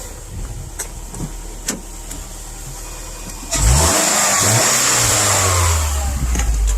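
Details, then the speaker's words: 2010 Subaru Impreza 2.5 non-turbo, 113,000 miles: first start of the replacement engine fitted after oil starvation, no coolant yet, checking for leaks; engine catches after cranking and rises to a smooth even rev, no knocks or rattles. Normal start and rev. "Got no coolant in it right now, but I just started it, just checking for leaks and stuff like that. I don't see anything goofy going on. And I think I'm good to go."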